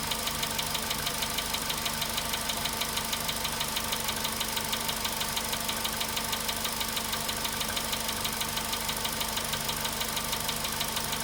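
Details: Cold-start idle on a VW Polo Sedan at 93,000 km: a sharp, even tick about three times a second rides steadily over the idle and never lets up, an engine knock from inside the engine.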